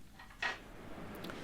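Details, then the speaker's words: MZ TS 250/0 gearbox during engine overhaul, right case half loosely bolted on: shift drum lifted by hand through case openings gives a single light clack in a quiet background, showing the needed axial free play. "Jetzt kann man durch die Öffnungen ins Getriebegehäuse hineinfingern und die Kurvenwalze auf und ab bewegen. Man hört es klackern, wenn sie Spiel hat."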